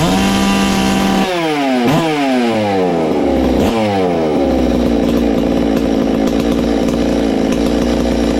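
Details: Ported Farmertec MS660 two-stroke chainsaw after adding a muffler-cover port, timing check and tach tuning (22° blowdown, 100 exhaust, 80 intake): snaps up through rev sweeps, then holds a hard, clean high scream with no stumble or four-stroking; louder, normal high-rpm run.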